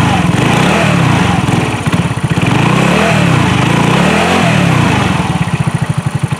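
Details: 2018 Trailmaster 150 XRX single-cylinder, previously not running due to carburetor issues, just after fitting new carburetor and warming up: steady low putter idle, revs drifting gently then settling, clean and even; normal idle.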